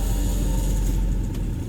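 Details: 1979 Toyota Corolla KE30 1.2L four-cylinder after a bottom-end overhaul (weak oil pump had starved the crankshaft bearings, which were replaced): a steady, even low idle with no knocking or tapping; healthy.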